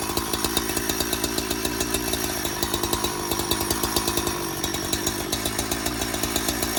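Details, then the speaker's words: Donated 2005 Husqvarna 372XP chainsaw, said to have run poorly, fitted with replacement muffler and bolts, on non-ethanol premix: crisp, rapid two-stroke buzz firing steadily without stumbling; runs fine and oils, just not yet tuned. "so she works oh she runs anyways she oils as I made the mess all over the floor"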